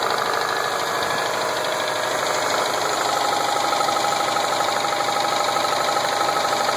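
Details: 2007 Subaru Impreza WRX STI with Wiseco forged pistons, ACL race bearings and ARP head studs idling steadily with a regular knock about three a second; possible rod knock, not confirmed.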